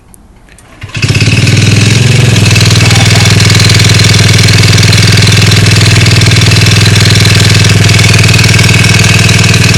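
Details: Honda Ruckus scooter, fitted with a light flywheel: starts, then settles into a steady regular knock about four times a second over the idle; engine knock, cause not pinned down.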